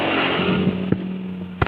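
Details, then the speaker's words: Honda CBR150R fitted with a non-original ECU after stumbling and stalling problems: steady, even idle hum with constant pitch and a couple of handling knocks; idle now good, cooling fan spins immediately at start-up with this ECU; normal idle. "Mari kita periksa, putaran idle sekarang sudah bagus."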